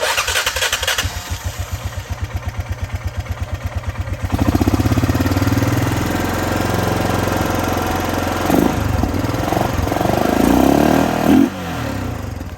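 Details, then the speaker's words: 2002 Honda Rubicon 500 ATV revived after carburetor off, tank and petcock cleaned, new battery: slow cranking, then running that stumbles briefly, blips, and settles into a smooth, even idle; normal idle. "This is an 02 model. 02 500. It's the idle, all right."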